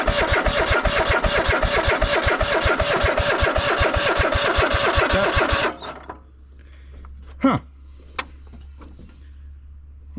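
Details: Cub Cadet GT 1554 V-twin mower unused about 2 years, started on carb cleaner: fires quickly and evenly about six seconds then cuts dead; fuel starvation, carburetor later found very dirty and full of water.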